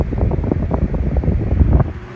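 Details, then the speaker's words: Thrift-store GE 12-inch table fan on a test rig, brought up to high after big inrush, current dropping as it speeds up, slightly under straight high on solid-state control: low even whooshing rush, no ticking or rubbing; normal. "It's going to speed up and the current is going to drop."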